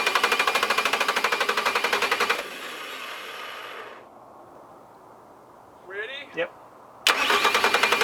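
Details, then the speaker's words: 2007 Bobcat S185 with Kubota V2003 turbo diesel, engine being warmed with heat in cold weather: steady even cranking in two long bursts with white smoke, never catching; crank no start from sheared injection pump camshaft keyway losing pump timing. "still not starting not 1% sure really what's going on we're getting smoked it's cranking over I don't know"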